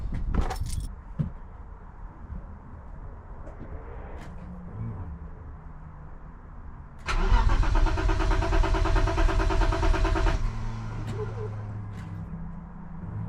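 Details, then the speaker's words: BMW E34 with M50 engine after fuel pump replacement fixed a no-start; starts on the button and settles into a steady, even, stable idle with no misses or stumbles. "Right, so as you've just seen it running, starts on the button now, which is what it wasn't doing, and it idles pretty stable as well."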